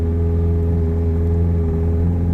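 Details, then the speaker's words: 2009 first-generation Evinrude E-TEC 130 hp outboard being winterized: the high idle lever is lifted, and it holds a steady, deep, even raised-idle hum with flashing lights in fogging mode, injecting extra oil to coat internals; normal high idle. "we'll need to lift the high idle lever up and as you can hear the engine is now idling higher and the lights are all flashing this is an indicator that the engine has entered the fogging mode"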